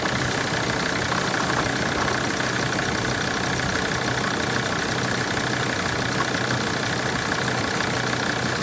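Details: 2006 Sprinter diesel at idle: uneven knock about twice a second over the diesel clatter; engine knocking, cause not identified.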